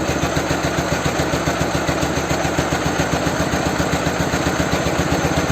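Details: Ural/Dnepr twin motorcycle with "bomba" muffler, just after an engine swap, during carburetor and idle adjustment: lumpy, uneven raised idle at about four pulses a second with gaps between them; running on only one cylinder.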